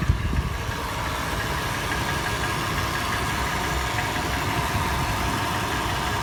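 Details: Toyota FJ warm start, heard in the interior: sharp metallic tapping over a steady idle, faster in park/neutral and slower under load in drive. Initial clattering turns into slower, louder knocking; cause unknown.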